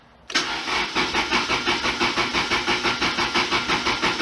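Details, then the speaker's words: 1991 Lotus Elan after cleaning tank and installing fuel pump, with about 1.5 gallons fuel: even starter churn, about three compressions a second, no firing; injectors not doing anything, fuel rail to be pulled. "But yeah, those injectors are not doing anything."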